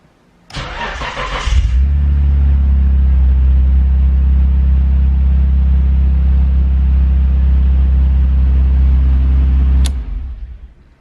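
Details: Nissan Skyline R32 GTR, first start with newly installed push-button start: short crank, catches cleanly and settles into steady even low rumble with no misses; healthy start and idle.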